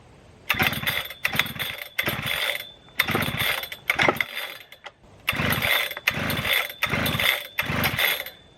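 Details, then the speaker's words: Husqvarna 3120 XP two-stroke chainsaw: about eight rope-pull bursts in nine seconds, each a brief rasp with no catch; gasoline all over it, flooded engine, no start. "so yeah definitely flooded out somehow you see there's gasoline all over it so flooded way too much"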